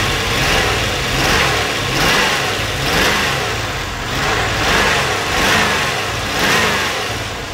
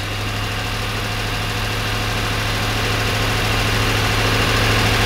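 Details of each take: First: 1992 Corvette after exhaust repair, started and revved: blips rise and fall cleanly with no stumble, sounding much better, though a miss is still heard afterward. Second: 1992 Corvette V8 at low idle with a steady beat that stumbles and shakes unevenly; misfire after exhaust repair, with fuel trims showing the left bank adding much more fuel.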